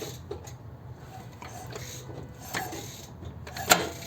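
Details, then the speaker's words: Lexus RX350 VVT-i cam phaser, chain turned by hand under the hood: scattered sharp metallic clacks as the phaser snaps back; its lock pin isn't holding, a cause of rattle at start. "у нас на работе rx350 на 1 голове тарахтит фазовращатель вкусно это даже видно"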